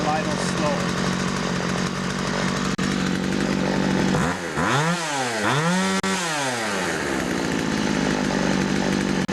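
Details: Older Poulan 2150 chainsaw with Walbro carburetor after carburetor screw adjustment: steady buzzing idle, revs cleanly twice and drops back without stalling; carb now set right.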